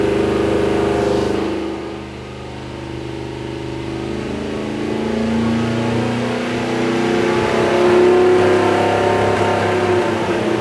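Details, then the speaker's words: Big-block Mopar 483 stroker for a Dodge Power Wagon, revving on the dyno: the note roughens and stumbles around 3000-4000 rpm. The timing mark bounces from 3000 rpm, and a misfire is heard. "the timing mark is not bouncing at 4 grand it's starting to bounce and I think I can hear it you know cuz it sounds like it's missing"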